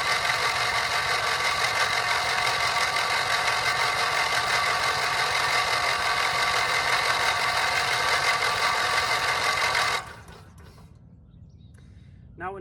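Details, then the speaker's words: Long-unrun Briggs & Stratton 670cc vertical-shaft go-kart engine cranked by its starter with spark plugs out: fast even whir without compression chuffs for about ten seconds then cut, priming oil; kept under 20 seconds to spare the starter. "I think we should remove the spark plugs and hopefully hopefully the lack of compression will then allow it to spin more freely maybe loosen everything up"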